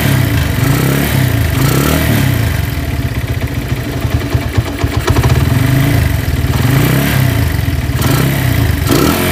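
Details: Honda Tiger single that smokes when cold and lacks power: rough quick "kemlitik" clicking from the cylinder head at idle and revs. It is very similar to a scratched or slapping piston; the cause is loose rocker arms.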